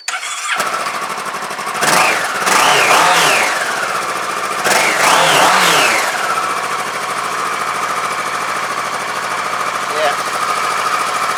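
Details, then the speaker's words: Kawasaki 650 Versys motorcycle, off the road since September and not started for a couple of months: it cranks and catches within a second, gets a couple of blips, then settles to a steady, even idle. A clean start. "It's not been started for a couple of months actually. Let's fire it up. See, she'll go. Can't see any reason why it shouldn't."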